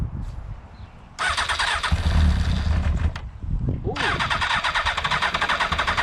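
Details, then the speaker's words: Motorcycle left standing for a month, cranking: two long bursts of fast, uneven starter churning that never catch. It cranks but won't start; water in the tank is suspected, so fuel additive is to be added. "i think we can all hear that and we know what's going to happen it will start but it just needs a small break"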